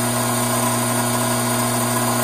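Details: Hydraulic pump cavitating with a restricted inlet: inlet vacuum up from 3 to almost 16 inHg, pressure down from 310 to just over 200 psi, fluid heating from 87°F toward 100°F. Loud steady hum with a hissy, gravelly rush on top.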